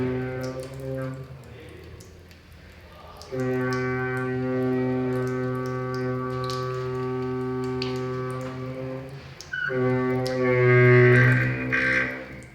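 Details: Running tap: a loud steady low drone with a buzzy edge that comes and goes, humming like a hammer drill; the faucet or pipe is vibrating.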